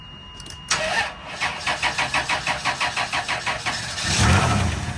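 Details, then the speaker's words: 1998 Chrysler Town & Country with a months-long no-start: about twelve cranks, then it catches with a brief roar and dies. The 20A Engine/ASD fuse blows on starting because of a melted, shorted O2 sensor harness wire. "Okay, see as soon as it worked, this is actually blowing."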